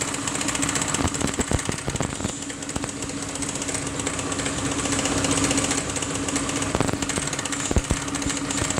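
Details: Piaggio MP3 500 HPE ABS/ASR scooter engine run without its variator and drive: a steady drone broken by irregular heavy sharp knocks, sounding bad, with the exact internal source unconfirmed.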